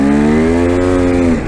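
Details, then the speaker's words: KTM 250 dirt bike on an Upper Nestucca OHV trail: engine note climbs in pitch while the bike doesn't pull harder, then drops; the clutch is slipping pretty badly. "And listen to my engine here. You can hear the clutch slip."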